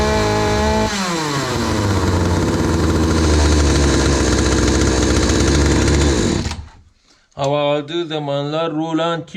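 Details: Hyundai 450 two-stroke chainsaw after carburetor diaphragm replacement, which had dropped back when throttled and stalled while cutting: screams up to a steady high buzz, holds cleanly, drops off, blips again crisply; runs strong and responsive.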